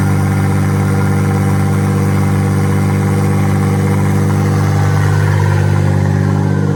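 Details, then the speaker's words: V6 RWD bi-turbo Mini engine swap, first start: the engine holds a raised hum above normal idle without settling. The owner suspects the ECU has lost its memory and is sorting itself out, possibly air leaks. "It seems to rev quite high the very first time, especially if you disconnect the battery, so I think it's something to do with the ECU."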